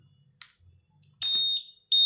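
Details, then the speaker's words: Honda PCX 160 keyless system, knob-press sound switched on: two crisp high-pitched beeps when the knob is pressed; knob beep enabled and working. "nah ketika kunci ditekan berkedip Berarti si knob ada suaranya saat ditekan"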